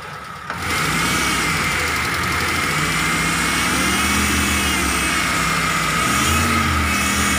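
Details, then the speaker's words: T120SS injection engine revved: clear flute-like whistle over the engine climbing with revs, from a dented oil pan pressing on the oil pump pickup as oil is sucked; before repair. "suaranya seperti suling Oke Bro jadi suaranya itu berasal dari bawah yaitu dari pancit poli ini yang penyok jadi panci ini karena terlalu di dalam akibatnya adalah pompa oli atau corong dari ujung pompa oli itu mepet dengan plat dari panci oli ini"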